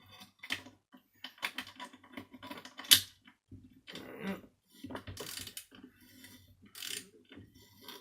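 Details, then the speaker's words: Failed Miele S5211 vacuum cleaner motor, removed and turned slowly by hand with a socket: uneven scraping, ratcheting grinding rasps; catastrophic motor failure. "take a socket when I turn it you'll hear grinding not a lot else is happening"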